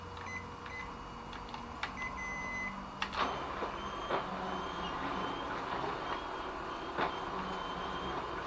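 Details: Ricoh MP2001/MP2501 copier running: thin on-and-off high squeal with occasional clicks, seeming to come from the drive but actually a fuser unit fault caused by dirt on the fuser separator claws.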